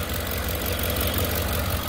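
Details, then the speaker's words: 2008 Ford Expedition 5.4L 3V V8 idling smoothly after timing chain job and earlier VCT solenoid replacement; no timing chain slap, cam phaser clicking or ticking. "so as you can hear it's a lot smoother sounding you don't hear that chain the timing chain slapping around"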